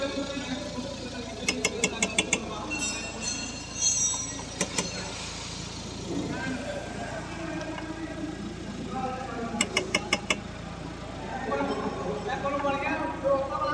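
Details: Engine idling while the steering is turned, with short bursts of sharp clicks as the wheel moves; a worn strut top mount (shocker) bearing binding and releasing.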